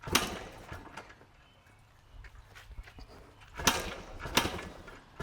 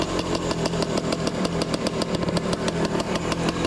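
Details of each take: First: 1990 Yamaha RT180, fuel on, choke on: repeated kick-start strokes a second apart with silence between and never a firing pop. Cranks but won't start. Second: 1978 Yamaha DT175-based bike, fuel on, choke on, started on the first kick: crisp popping two-stroke idle about two beats a second, loose but steady with no knocks or grinding; idles fine, though the clutch doesn't work.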